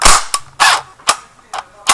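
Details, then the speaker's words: Echo1 airsoft electric gun on a flat stock battery: sluggish, uneven clunks about every half second with a click instead of a crisp cycle; motor starved, gearbox locking up, continued firing risks blowing the fuse. "The Click basically the battery's all out of power and it's struggling to turn the motor and the gears and that's a jammed gearbox or locked up"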